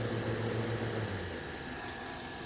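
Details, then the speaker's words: Suspected failing idler/tensioner pulley bearing on a 2012 GMC Sierra at idle: fast, regular high chirp keeping time with engine speed, from the accessory belt drive; owner rules out alternator and power steering pump, doubts water pump, balancer or AC compressor. "What you're hearing is very likely a sound coming from the idler pulley right here. It's not coming from the alternator or the power steering pump."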